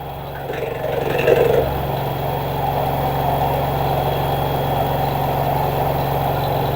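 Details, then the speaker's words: LG front-loader 10 kg wash/7 kg dry smart inverter direct-drive washer, spin before fix: loud steady low drone and rattle builds; main control board panel vibrating against its mounting, to be refitted with sponge padding underneath. "Now see, This is the noise came from a machine before. Now we have to do some modification actually, otherwise it will make again as same before."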